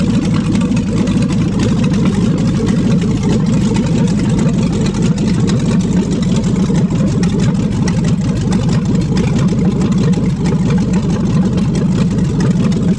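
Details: 5.3L LS V8 for a swap, first start on an engine stand after fuel pump priming: even, steady low-pitched idle with a smooth regular pulse and no knocks or misses; normal idle.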